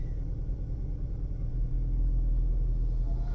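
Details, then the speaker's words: 2013 Chevy Malibu 2.0L turbo, check engine light flashing: low idle with a faintly uneven, lumpy beat while the scan tool shows cylinder 3 with the most misfires; coils and spark plug on cylinder 3 to be inspected. "okay and we're going to start the vehicle again and we're going to monitor which cylinder have the most oh shoot number three got the most 50,000 misfires wow okay that should be be pretty easy"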